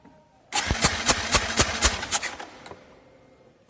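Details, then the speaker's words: Four-stroke motorcycle cranked on the starter, throttle held fully open, compression tester in the spark plug hole: steady even pulses about four a second; reading 150 psi (1000 kPa), in the green, normal compression. "terlihat hasil dari pengukuran kompresi adalah 150ps Iya atau seribu kPa Hai ini masih normal ya karena di sana itu berada di warna hijau"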